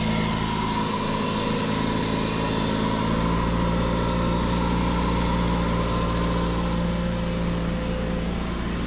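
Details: Toyota Matrix starting after a dead battery was sorted: even, steady hum with a smooth fast beat and no knocks or misses; the engine idles normally.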